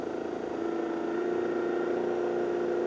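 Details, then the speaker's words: Old Harley-Davidson 12-volt generator spun on a bench test rig driven through a variac, output up to 10 volts: steady high spinning whine with faint regular ripple, speed rising; generator charging normally. "It's up to 10 volts. You can hear it's going a lot faster just to get to 10 volts."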